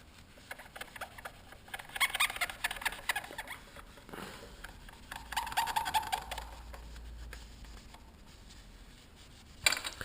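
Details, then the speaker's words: CR250 motorcycle front fork: short rubbing squeaks come and go as the fork strokes, with a thin chirp in the middle; bad, dry fork seal squeaking, to be replaced. "you got a bad fork seal going there I'm going to replace [Music] that oh you can hear it squeaking"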